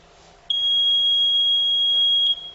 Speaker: अब clear button दबाने के बाद मशीन अभी क्लियर कर रही है एक एक कैंडिडेट के बारे में कितने वोट हैं वो सब देख करके। इसमें 10-15 सेकंड का समय लगेगा, तब तक आप वेट करेंगे।